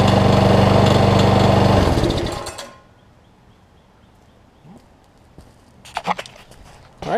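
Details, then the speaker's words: Lawn Boy self-propelled push mower after fitting a new carburetor, which replaced a leaky one with bad seals: runs smooth and even for a couple of seconds with a steady beat, then shuts off cleanly; sounds healthy. "the killer is fixed on it carb runs good"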